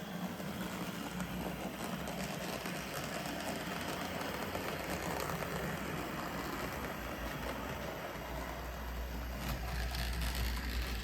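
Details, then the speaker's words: Budget SD40-2 model locomotive after a one-dollar motor upgrade, with extra weight added, running at higher speed: a steady whirring rumble with a light rhythmic clatter, still smooth; owner suspects wheel noise from dirty wheels, not the motor. "that sounds like wheel noise I think the wheels need a good clean but it's still nice and smooth"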